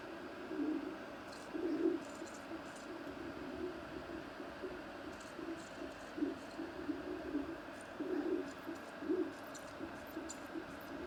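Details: Creality CR-10S Pro 3D printer extruder, squeaking since new and worsening, tightening/loosening screws didn't help: soft, cooing squeaks repeating irregularly as filament feeds.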